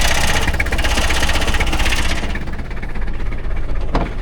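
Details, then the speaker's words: 1990 Toyota Hilux 2.4 diesel starting after an oil service: it clatters unevenly with stumbling beats for a couple of seconds, then steadies once it re-primes; air in the fuel system. "tourne mal. Voilà. Ah, c'est bon, il a réamorcé."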